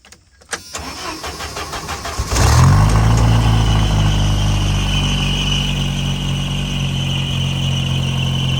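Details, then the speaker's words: 2.5L Jeep Wrangler YJ with hood stack, after upgraded fuel injector install, started on a damp day: cranks, catches and settles to idle with a thin steady squeak from the drive belt slipping in moisture. "don't mind that little belt you can see it's a little bit a little bit of moisture day when there's a little moisture that belt squeaks a little bit"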